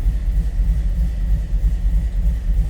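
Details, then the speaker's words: 1929 Ford Model A street rod, 283 V8 with three deuces, Edelbrock intake, roller cam, 700R4 automatic, at start-up: deep, even burble at idle, steady low pulses, no ticks or misses; healthy engine. "Let's go ahead and fire this up. Great sounding car also."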